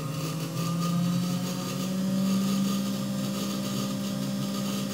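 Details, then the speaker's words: New 3HP ATC spindle (Grizzly G0704 mill) on a Hitachi WJ200 VFD at 400 Hz, run at mid speed and down to very slow. Clean steady whine rising slightly with speed, no rubbing or rattle; current looks good, healthy. "she'd be able to run this thing really really slow I don't know how much torque it actually has it that speed but it is churning and the current looks good"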